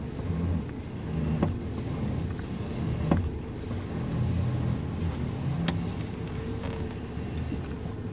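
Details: 2019 Toyota Rush, engine idling while steering turned left and right: a few sharp clunks from under the steering column; suspension checked fine; cause was a loose steering column bolt and bushing. Car also pulled and vibrated on the highway and clunked over speed bumps.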